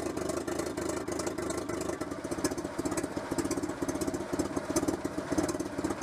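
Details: Renault Super 5 idling after head gasket replacement: steady, even idle with smooth regular pulse, no knocks or misses; engine healthy.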